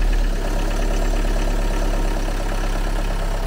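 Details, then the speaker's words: Used car after restart, earlier lifter-like ticking from possible long standing now gone: even, steady idle hum with no clicking from the top end; engine now runs well, normal idle. "Teď tam není ten zvuk už. To bylo, jak to bylo stále. Tam byl jako hydroštel nebo něco. Už to zmizelo."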